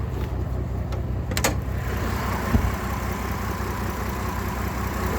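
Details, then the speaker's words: GMC Envoy with 251,000 miles, camshaft position sensor code, owner suspects misfire or bad cam sensor; lumpy, uneven idle with stumbles, lacking power, running rough. "but the 251 thousand miles that are on this thing it is running like complete crap"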